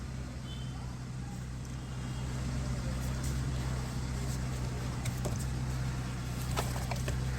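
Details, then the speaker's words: Hyundai EPS car after electric power steering motor replacement, engine idling with wheel turned to full lock; customer previously heard major jerking sounds at extreme position, now even idle with no jerks, clunks or motor groan; normal power steering. "okay so let me do the maximum tone okay see there is no jerking sound now"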